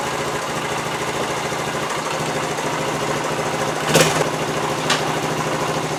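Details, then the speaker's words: 1973 Honda TL 125 single-cylinder after carburetor rebuild for float-bowl overflow fuel leak; started on one kick with choke half on, steady even putter at idle, no knocks or misses; sounds good for 50 years old, no leak overnight. "foreign yeah that looks good that sounds good right there for 50 years old"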